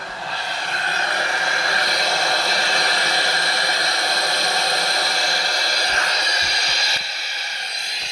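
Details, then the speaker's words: 2009 Toyota Corolla with misfire, already given new coils, plugs, injectors and PCM, leak-down test: 100 psi fed into cylinder 3 near bottom dead center rushes loudly out of cylinder 4, indicating a head gasket leak between the cylinders. "I know that was loud but I wanted to show you that with 100 psi going in the cylinder 3 it was leaking out of cylinder 4 with the engine on this compression stroke"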